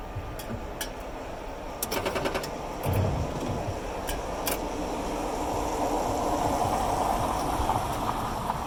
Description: Rapid clicking as I turn the key to position I.